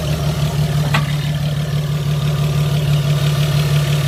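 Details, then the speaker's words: Opel V6 after repairing a noisy belt idler pulley: smooth, steady idle with even low hum, no squeal or whirr from the belt side; pulley now quiet. "man nichts mehr also schön ruhig so das war jetzt das mit der rolle"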